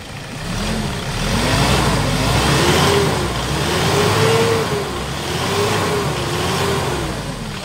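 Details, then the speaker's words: Hyundai Starex Gold diesel, overhauled after overheating, after replacing fuel injectors: revs up and settles smoothly with no sharp rattle or knock; fuel knock gone. "so Ayan mga boss wala na yung fuel knocking niya"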